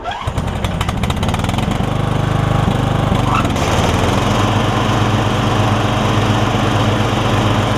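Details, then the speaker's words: Weed Eater rider converted to Craftsman lawn tractor, new 38-inch deck blades fitted: engine catches within a second and settles into smooth steady run, no misfires or rattles; sounds better, normal running. "This sounds a little bit better, doesn't it?"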